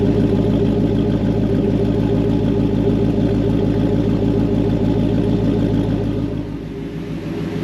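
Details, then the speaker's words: Jeep Wrangler LJ with swapped HEMI V8 on first start: it idles steadily with a deep, even lope, no exhaust leaks, ticking or hissing; oil pressure came up and earlier a slight power steering whine had stopped. "it's running I don't hear any exhaust leaks or anything like that here's what it sounds like"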